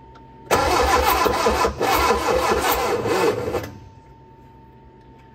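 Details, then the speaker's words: Barn-find Austin-Healey Sprite, engine freshly unseized with head refitted, carbs' float bowls filled, choke held: about three seconds of laboured rhythmic cranking at roughly four beats a second, no catch; starter sluggish, battery perhaps weak, jump pack next. "let's put a jump pack on it wants to run"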